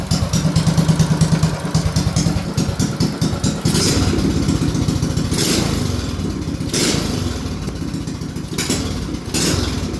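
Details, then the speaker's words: BT200X on its first test run after a 224 big-bore build with high-flow parts and a new carb: slow, loping thump about two beats a second, slightly uneven; the idle is set very low, and owner suspects a slight lean condition (bogs when blipped from low idle). "Bro, it idles perfect. Listen to how slow and low that idle is. Holy crap."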